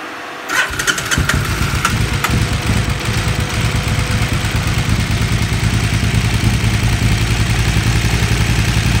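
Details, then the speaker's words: 2008 KTM 990 Adventure S, 6,500 miles, warm but not excessively, fan on, after a TuneECU reset: restarted without throttle after dying when the throttle was chopped, it fires and settles into a steady, even lumpy idle. Owner wonders about vapor lock. Normal idle after restart. "I'm gonna try and turn it on again. No throttle. It's on, no biggie."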